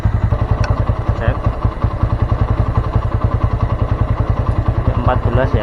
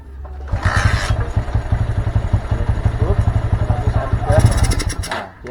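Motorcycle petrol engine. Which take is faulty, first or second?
second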